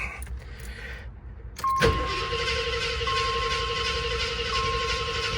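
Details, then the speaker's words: 1986 AMC Jeep Grand Wagoneer, carbureted, sat about a month, one pedal pump: starter whirs evenly for several seconds without catching as the drained carb bowl refills; normal long cranking, stopped to save battery. "so that's fine this is normal if it's been off so in this case I'm going to stop you don't want to kill your battery"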